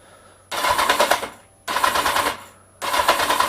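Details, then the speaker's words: Kawasaki Z750 after starter motor rebuild, previously squealing and crunching for years; three one-second cranking bursts with a rapid harsh rattling crunch each time; owner suspects starter motor or starter gears, not confirmed. "Still a little bit of crunching, but it's probably just starter motor. There's not an old bike that I've come across that hasn't crunched a little."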